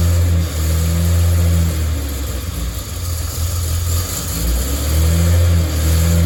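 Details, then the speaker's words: Datsun 240Z engine, first start after a fault kept it from running, not fully warm: revs surge and sag with throttle blips, won't hold steady idle by itself; seems okay once warmed up. "but as you can see it's not staying idling on the tone once it warms up it seems to be okay"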